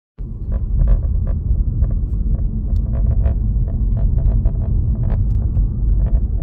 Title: Rattle sound behind Guilia dash